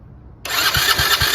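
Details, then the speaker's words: Tao Tao 125cc ATV quad, just fitted with a new four-wire ignition switch, before the new carburetor goes on. Started by pressing the button while squeezing the lever, it catches at once and settles to a quick, even idle. Clean start, and the key shutoff now works. "there we go see Works shut it off and see if it works and it doesn't so our ignition switch is fixed"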